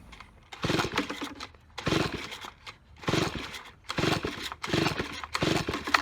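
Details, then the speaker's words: Neglected, abandoned Stihl BG55 leaf blower with busted primer bulb, caked carb and crumbling air filter: five recoil pulls, each a brief whirring rattle dying away with no firing; cranks but won't start, carb suspected, not confirmed. "yep okay will not start it's easy to see why it was left"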